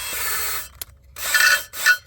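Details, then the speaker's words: Lapping a valve on a 4.8 cylinder head with a drill spinning the valve: brief whir, then harsh high rasping chatter in short bursts from spinning too fast against the seat; lap slowly with light finger pressure. "Now, you don't want to go fast and hear that noise. That noise is kind of like the equivalent of a chatter on a lathe or a mill. Not good."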